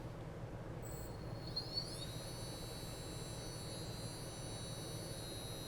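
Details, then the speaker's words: Returned Chaos 3115 brushless FPV drone motor (Brother Hobby) bench-run on a small ESC after a customer noise complaint: clean whine climbs quickly then holds steady pitch, no scraping or ticking; normal motor spin. "mean i don't hear anything you hear anything babe i do not hear anything"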